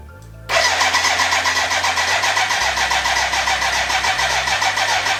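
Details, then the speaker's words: BMW K100 café racer build, first start attempt with fuel in and oil pressure confirmed: starter spins steadily with even cranking pulses but never catches; no fuel getting through, crank no start. "uh yeah let me update you what i have found out so far there is a fuel problem now it's connected to the tank but it's damn dry so now"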